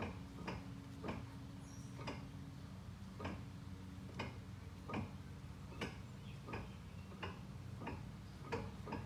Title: Front CV axle knocking sound